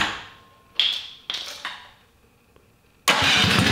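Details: Freshly built electric-start Tillotson 212 in a mini ATV, with Hot265 cam, billet rod, side exit header, RLV muffler and 22mm Mikuni carb; a few clicks and pulls, catches about three seconds in, settles into a crisp, even single-cylinder run.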